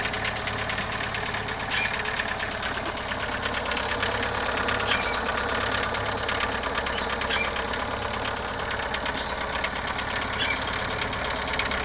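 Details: CHT engine with valves adjusted and timing belt replaced, bottom-end play checked: steady idle with sharp irregular knocks every two to three seconds over the rumble; knock source not identified.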